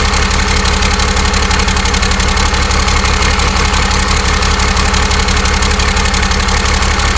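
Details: 12-valve Cummins converted to common rail, on its first start: loud, even diesel clatter at a steady idle with regular firing pulses and no misses or odd knocks. A normal, healthy idle.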